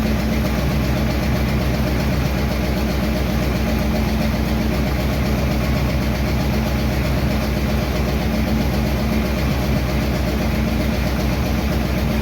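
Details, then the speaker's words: 1951 Chevy engine idling after another minor valve adjustment, slightly cooled beforehand: very light quick tick over steady idle, far quieter than before; faint valve tick, owner will let it run hoping it quiets. "Okay, did those minor adjustments. See what we got. It's a very minor tick there, but it's way, way better."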